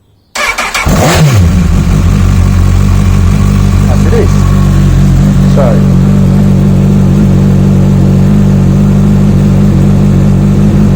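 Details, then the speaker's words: Honda CBF1000 with a cutting-out problem sorted, after sitting a week with the battery at 12.2 V: a short fuel pump whir, then it catches at once and settles to a steady, even idle; the stator appears to be charging. "start it up and you hear all the whirring and the pump priming and everything else now that to me should be hunky dory"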